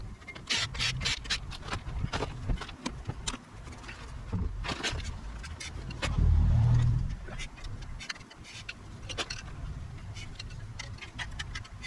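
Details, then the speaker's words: Brakes while rolling: light scraping ticks about four a second over low rolling noise as the brake dust shield (backing plate) rubs the rotor. Prying the plate back for clearance made it quiet. "the more I think it is the dust shield the backing plate on the brakes rubbing so I'll have to finagle and bend it or move it or something"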